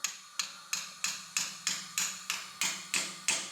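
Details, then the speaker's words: Cadillac CTS-V top-end rebuild for BTR Stage 3 cam: tapping new valve stem seal on with borrowed installer tool, sharp metallic taps about three a second whose tone changes when the seal bottoms out, showing it is fully seated. "You hear that difference in the noise? That means it's all the way down."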